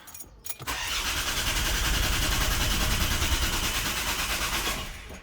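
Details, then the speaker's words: Volvo diesel during service, back on ground while priming fuel system: four seconds of steady starter cranking that never catches; no-start from air in the fuel system, battery going flat. "now we're back on the ground still trying to Prime this fuel system we're going to give it another crank see what it does"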